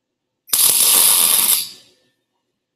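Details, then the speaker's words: Tack weld: about a second of steady, crisp frying sizzle with no pops or sputter, stopping clean; good penetration, tack melted through with no blob on top, unlike the earlier hopping, unpenetrated tack. "the sound you want to hear that's that's working for us right there so that they actually went through you don't have a big blob of fat on the top"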